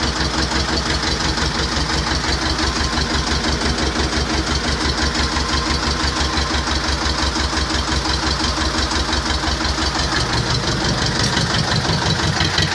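Steady diesel clatter with even firing pulses, about three a second, holding a constant rhythm throughout; this engine idles cleanly and sounds healthy.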